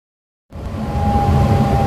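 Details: Furnace ECM blower motor starting from silence: a hollow rush and a steady, mid-pitched Chewbacca-like moan builds as it reaches speed. The motor moans on start-up and shutdown and is audible in the bedrooms; a warranty replacement moaned too but quieter; a tuning issue is suspected.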